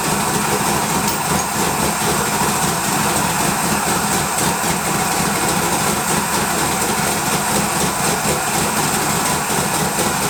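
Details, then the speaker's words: Twin-turbo LS V8 Malibu build, first start: steady even idle with light hiss, no knock or miss; smoke was residue burning off manifolds; sounds healthy. "That was incredible. This thing sounds like, there's no camera or anything in this thing, so it sounds decent the way it is."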